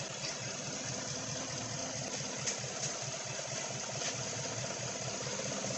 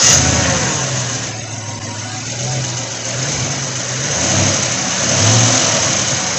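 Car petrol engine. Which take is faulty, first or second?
first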